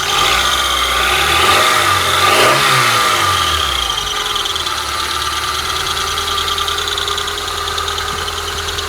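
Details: Honda Prelude BB3, cold engine at idle: steady high-pitched squeal with faint rhythmic chirp, persisting until working temperature is reached; source unknown.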